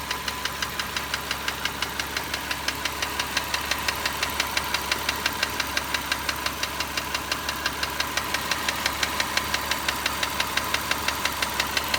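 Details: Car ticking since bought about 4 years and 45,000 km ago, at normal operating temperature: steady even tick about three per second that never fades; not piston slap per owner.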